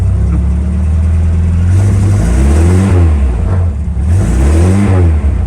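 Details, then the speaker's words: Lada Niva after sitting, started with fuel poured in. It runs low and lumpy with a clattery, diesel-like chug that surges unevenly when the throttle is blipped. Owner says the carburetor needs cleaning; likely fuel delivery. "Carb definitely needs cleaned. Step on the fuel at all, it pretty much cuts right out. Yeah, there you go. Fire right back up though. Sounds like a diesel."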